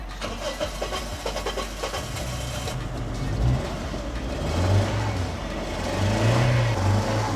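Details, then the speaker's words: Daihatsu Terios stored five years in a garage, first start on a new battery: engine catches, then runs with an irregular, stumbling beat that surges as revs rise. Misfiring on a cylinder; coil, spark plug or injector suspected, unconfirmed. "Ну троїть поки що Ну нічого страшного може катушечка якась може свічечка може форсуночка"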